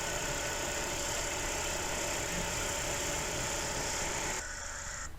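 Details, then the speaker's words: 2019 Chevrolet Spark after repairing sensor communication wiring (code 84, SENT sensor codes): engine idles smoothly and evenly, no more misfire, engine sound improved; code 84 gone. "والانجن مبين داير كتير منيح، ما في عنا بقى مس فاير."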